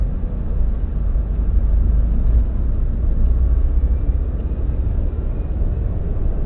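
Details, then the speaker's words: Subaru WRX EJ205, warmed up, at idle: deep muffled rumble with uneven beat, cylinder 3 misfire not fixed by spark plugs, cracked valve suspected; engine shakes a lot, small squeak from AC compressor. "Doesn't tick or anything, just that's misfiring. When I first got it, it was misfiring on cylinder 3."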